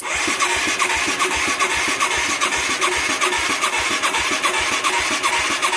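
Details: Mid-1980s Yamaha YFM200 Moto-4, previously seized: steady starter churn at about two and a half compressions a second, no firing or popping; cranks but won't start, weak spark and little fuel, owner suspects possible low compression.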